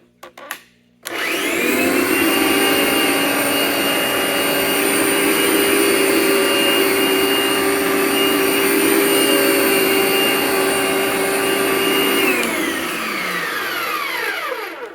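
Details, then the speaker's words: NovaDry/Capture carpet cleaning machine in brush mode: gear-driven brushes (no belts) spin up to a steady, even high gear whine and wind down normally; it previously had a stripped gear repaired. "Well, it certainly brushes. You can hear that gear whine. There are gears in here. I don't think it uses any belts."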